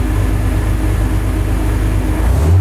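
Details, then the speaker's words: Extensively modified BMW E36 race car with a stock gear linkage, started up: a deep, loud exhaust roar holding steady, then rising under throttle, running evenly with no knock or misfire; normal start and revving. "let's start this puppy up and let you hear what she sounds like she sounds pretty sweet"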